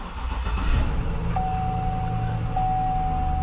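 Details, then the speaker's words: GM LS V8 (Suburban/Yukon/Escalade platform), 227,000 miles, just after oil pressure sensor replacement: steady, even idle with a faint constant tone, no knocking or ticking; gauge now shows good oil pressure, engine healthy. "coming up yeah we have oil pressure actually good oil pressure so that's cool"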